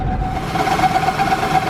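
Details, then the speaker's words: Station wagon with a cylinder-4 misfire code, after swapping that cylinder's plug wire: still missing hard, a rough idle with a steady high-pitched pulsing squeak. The squeak's source is not found; the owner next plans to replace a component he calls the block. "oh no it's still not really liking it [Applause] now we got some squeaking"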